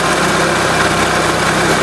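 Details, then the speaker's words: 2004 Renault Scenic 1.6 L petrol after removing the intake manifold and replacing a broken MAP sensor: steady even idle, stable RPM, no hissing or leaks; running normally. "you can hear now the engine is either normal without any problem no hising sound or like that no leaking and the RPM is stable no weird"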